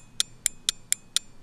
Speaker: So if you don't have a multimeter, what you're gonna do is you're gonna apply power to the relay and you're gonna listen for a clicking noise. If it clicks, clicks, clicks, clicks a lot when you touch it to the battery, it's good.